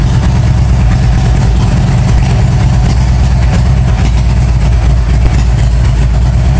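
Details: 1997 Harley-Davidson Road King Evo, first start after top-end and cam chest rebuild: loud, even low rumble holding steady with no knocks or misses over faint pressure-washer hiss; normal idle.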